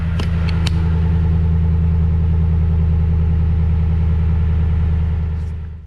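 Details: 2016 Toyota Tundra Platinum 5.7 iForce V8 on original exhaust, before Corsa 14916 install: deep, even burble holding steady without stumbles or knocks, then dying away; healthy engine, clean exhaust note.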